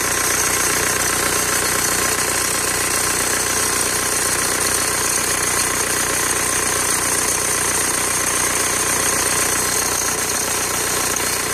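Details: VW TDI ALH diesel idling with a fast, loose metallic rattle from the serpentine belt area, coming from the belt tensioner.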